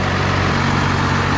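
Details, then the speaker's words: 12-valve Cummins diesel truck after raising idle, cool fall weather: deep even rumble idling about 980 rpm, just under the 1000 rpm wanted for cold days; normal idle. "it's not quite a thousand but it's my minutes basically it's like a nine hundred and you know eighty right now is what it's idling at which isn't a big deal to me"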